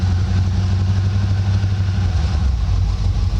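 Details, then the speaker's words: Air-suspension 1962 Chevrolet Impala, mostly stock, floor shifter: just started with a little gas, idling low, soft and steady with an even beat and no knocks or ticks; a quiet engine, normal idle. "so so it's idling right now you can hear it's quite it's a quiet engine"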